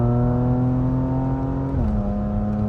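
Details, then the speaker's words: Salvage 2018 Porsche Macan GTS with 7-speed transmission, driving under acceleration, not to redline: engine tone climbs then drops cleanly with a short pop at a quick upshift; smooth, normal shifting. "I like this sound it makes when it shifts. It sounds awesome. It kind of pops, right?"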